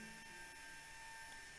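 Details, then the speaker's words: blö micro wearable cooling fan with aroma-oil slot, room 24.8°C, 50% RH, airflow about 1 m/s: steady high whine with fixed tones over airy hiss, louder than expected with weak airflow; duct airflow suspected, not confirmed. "To turn it on, just press the button. The noise is a little bit loud to my expectation,"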